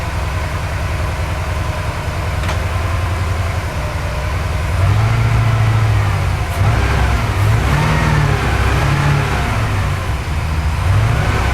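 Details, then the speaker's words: Porsche 928 V8: revs wander with an occasional stumble; there is no misfire low down and only a slight miss when revs are raised. "feels like I'm getting somewhere near the right zone now um it's not misfiring low down when I pick the ribs up it does the little tiny bit"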